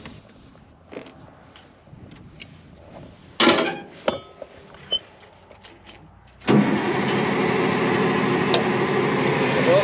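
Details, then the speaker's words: Front end loader diesel (1638 hours) cranking: quiet, then steady starter churning without catching; no-start later traced to a small shut-off wire switch on the injection pump. "i had a failure to get it to start and run so one of those will it start moments didn't work out well for us and come to find out it was just a little switch on the injection pump"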